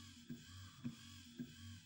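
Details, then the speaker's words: VW Caddy windscreen wiper mechanism after repair: broken wires found by oscilloscope were soldered and cloth-taped against chafing; quiet motor hum with soft clunk at each sweep reversal about every half second; normal wiper operation. "Nu, tagad taisam testu. Vajadzētu visam darboties. Tā meklēšana bija lielāka nekā tas remonts. Izklausās, ka viss strādā."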